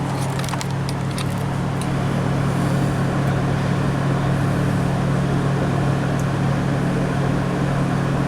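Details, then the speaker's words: 1996 Toyota 4Runner V6, 235k miles, idling about 1500 rpm with no codes, coolant at 141-143 not fully warm, TPS also suspect; steady fast smooth idle drone: high idle, broken stuck-open thermostat suspected. "is it going down I'm not sure maybe the thermostats broke"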